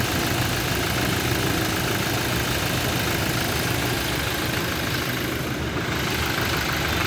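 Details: Toyota Innova at idle during mechanical engine diagnosis: an uneven, rapid internal tapping of about three per second runs under the engine note. Internal engine knocking is present, but its source is not yet determined.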